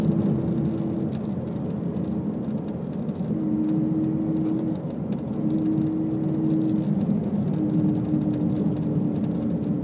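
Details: Subaru STI, 100% stock, while driving: steady low hum over road rumble, pitch drifting slightly with speed; source unknown.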